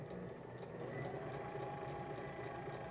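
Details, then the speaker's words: Sailrite sewing machine run on a 230V inverter during inverter tests: steady, even motor hum with fast, uniform stitching clatter and no surging; runs smoothly. "that's running it very smoothly very nicely this is probably one of the more expensive inverters that we're testing"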